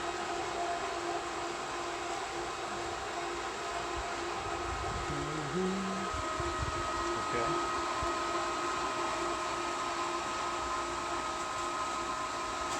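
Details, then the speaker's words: Pool pump switched back on after the valves were reopened, priming and starting to draw water: a steady high-speed motor hum with a few faint tones and no grinding or rattle; normal priming. "then the pump will try to prime so it should start priming now any moment there she goes and since we had these shut it shouldn't take it very long to start drawing water"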